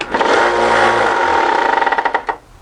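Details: Old Harbor Freight belt sander, running loud: a whirring run with a coarse rattle that turns into quick clatters as it spins down, from a loose part jiggling inside.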